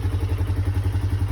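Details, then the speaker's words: 2007 Polaris Scrambler after sitting 4+ years, running after fuel pump opened and old gas and air cleared: even low single-cylinder thump about eight beats a second, no skips or clatter; normal idle, airlock in fuel line suspected. "It's finally running. I think it just had an airlock in the fuel line."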